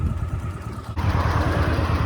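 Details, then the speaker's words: 1981 Honda CX500, 32,000 miles, laid up 1995–2022, after overhaul, on a 30-mile ride: even low twin thump at steady speed, no misfire, tapping or rattle; running spot on. "yeah so as you can hear the bike is running spot on so hopefully shouldn't have any problems whatsoever"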